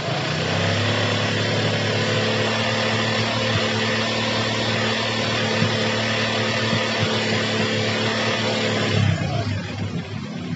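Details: Yamaha Jupiter MX that would start then die, traced to a pinched, heat-clogged fuel vacuum hose to the carburetor: small single ticks at a steady, even idle with no hunting or dying, idling normally.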